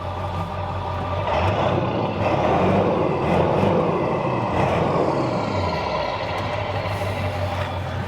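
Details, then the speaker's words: 23-year-old Ford F-250 diesel truck with over 513,000 miles. Steady diesel clatter with a couple of quick, clean revs rising and falling, running even with no misses and no smoke. The engine is healthy. "That runs smooth, nice and smooth. Any smoke come out? Nope, It don't smoke."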